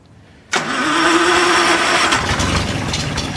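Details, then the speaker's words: Wolseley 14/56 six-cylinder after years in storage, oil changed, valves checked, compressions 110–120: catches instantly and settles into a smooth, even fast idle on full choke with no knocks or misses; healthy. "oh my God it runs we just turn it off and um let the choke off a bit"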